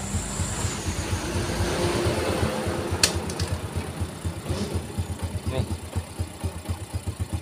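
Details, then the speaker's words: Yamaha 4-stroke underbone motorcycle (Vega/Jupiter type) after repair replacing a crushed clutch cage: even putt-putt idle in gear, no crunching or scraping anymore, fixed. "halus ya Coba saya netralin lagi nah saya coba masukin giginya lagi ya nih Alhamdulillah udah sembuh guys"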